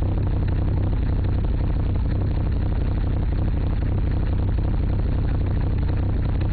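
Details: Mitsubishi Evo III with a deep, uneven idle and a lumpy, irregular beat of about three pulses a second; owner suspects bent valves, cause unconfirmed.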